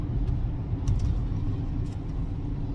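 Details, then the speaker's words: 2014 Ford Escape 2.0 EcoBoost on a road test, cabin mic: low droning rumble with a steady hum over road noise from a howling front right wheel bearing; rear right also making rotational noise. "i've barely left the dealership and i can already hear the front right wheel bearing howling"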